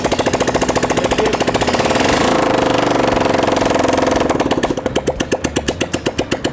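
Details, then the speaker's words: TVS Apache motorcycle after half-engine rebuild with timing chain fitted and timing set: loud, crisp single-cylinder beat, steady even idle; engine running properly. "देखिए गाड़ी start है proper तरीका से type करके दिखाते हैं की इसका साउंड कैसा ए रहा है"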